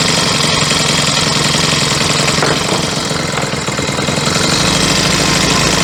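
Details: Troy-Bilt four-stroke weed eater after yellow-tinted stale gas replaced with fresh fuel: busy, high-pitched buzz steady with no misses or surging; running cleanly.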